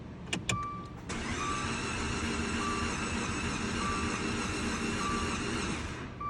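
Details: 2013 Dodge Dart with a used replacement engine, cranking while bleeding air from the fuel system: five seconds of fast, even starter whirring with no compression chuffs and no catch. The engine spins freely with no compression.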